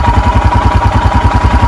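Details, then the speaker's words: 2021 EFI Royal Enfield Himalayan single, cold, choke/idle lever engaged: even, steady thumping about ten beats a second at a fast idle of about 1200 rpm; normal healthy fast idle during the one-minute warm-up. "And there we go. We're up around 1200. The owner's manual says to leave it like this for a full minute."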